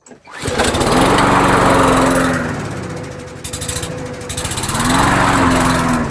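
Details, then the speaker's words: Canadiana Elite 22" self-propelled lawnmower, air filter not yet changed: small engine speed rises and falls in slow waves about every four seconds while barely idling; carburetor suspected as cause, not confirmed. "but definitely definitely got to work through the curb because you could hear it. It It's surging even though it's barely idling."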